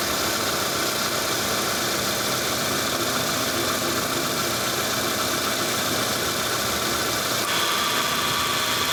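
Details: Rough, uneven growl with a harsh hissy edge and no clean rhythm over the running car engine: signs of a failing, damaged AC compressor (ngorok).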